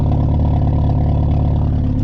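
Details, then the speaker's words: VW 2.0 2E engine with open cat at idle: steady deep exhaust rumble, even beat, no knocks or rattles; slight rumble, loud but healthy. "Slight rumble. Nothing nothing insane."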